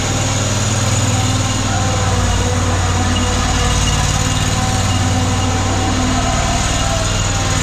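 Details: Ferris ISX 3300 mower after fixing a seized idler pulley, burned belt and binding wheel spindle: engine holds a fairly even, slightly loping idle with a low steady thrum, no knocks or grinding; runs normally.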